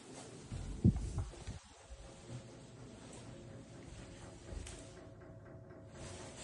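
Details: Dull, uneven low thumps from a heating radiator in a new-build apartment, heard in a quiet room and carrying to the neighbours below; the thermostatic valve turned to its highest setting causes the knocking.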